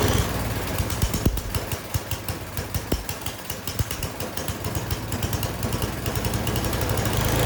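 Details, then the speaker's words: Snow blower small petrol engine still surging after carburetor cleaning: speed sags and swells instead of holding steady; the cheap carburetor is blamed and a new one will be ordered. "All right, I don't like it. Even after cleaning it, you can hear it surging there. It is not running right."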